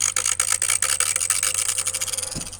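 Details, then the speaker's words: Toyota 80 Series Land Cruiser windscreen wiper motor, fitted: rapid rough rasping clicks, about five a second, slowing toward the end; the motor grinds and stops completely if the blades are held, and the owner suspects an internal fault, possibly the brushes. "t it was but um you can hear the um the motor and all the clicking if I grab these wiper blades and slow it down it'll completely stop"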